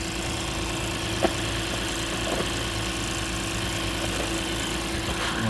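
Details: 2006 Lexus IS250 AWD, running after a no-start, no-crank fix with security light still flashing: steady, even idle hum, constant low tone, no knocks or misses; normal idle.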